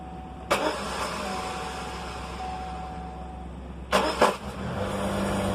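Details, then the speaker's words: 2001 Chevrolet Cavalier: two short harsh grinding bursts as the starter tries to engage, then it catches; starter pinion teeth are destroyed and miss the flywheel; starter to be replaced. "the teeth are just destroyed on the starter it misses so many times you could hear it"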